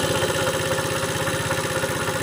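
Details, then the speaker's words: Long-neglected Tao Tao scooter first started after sitting for years, dry start, idling fast: sharp rapid tapping on every beat, heard from top near the valves, owner thinks valves rattling and possibly a connecting rod; not confirmed. "on top so i can hear the valves up here just for rattling sounds like uh ah connecting rod too"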